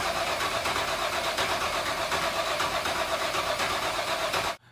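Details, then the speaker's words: Race car engine, new build, ice cold, pressure-primed with oil seen at the turbo: steady fast cranking about four turns a second, spins freely but never catches, then stops; crank no start, no spark. "it looks like at very least we have a no spark situation so we're gonna probably call it a night"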